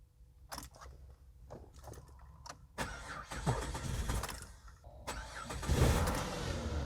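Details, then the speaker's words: Auction car with 122,000 km: the key clicks, then a couple of seconds of near silence before the starter catches and the engine fires. The delayed crank has an unknown cause, and it then runs fine. "that's really weird you turn the key it does nothing for a couple seconds and then it starts actually runs pretty fine"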